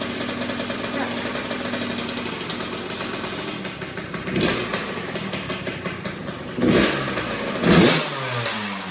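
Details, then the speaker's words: 2004 Kawasaki KX85 two-stroke, stock bore, just after a top end rebuild, started on the second kick and smoking; idles with a light ringing note and takes sharp throttle blips cleanly. Sounds far better than before. Normal running. "But yeah, it starts. It sounds a million times better."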